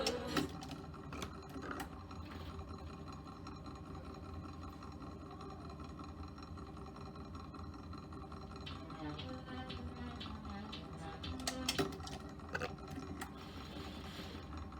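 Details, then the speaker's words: 1950 RCA console with 45 rpm record changer: steady low rumble with rattly mechanical chatter while it runs; owner blames a worn, very noisy idler wheel and ordered a new one. Cause suspected, not confirmed. "i ordered a new idler wheel for this because it is very noisy as you can hear"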